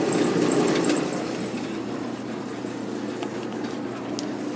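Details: Old Maytag natural-gas dryer (model CDG46, 18,000 BTU, possibly 1960s) with a low-heat problem, panel open: even low drum rumble, steady motor hum, light rattles, no squeal or scrape; running fine.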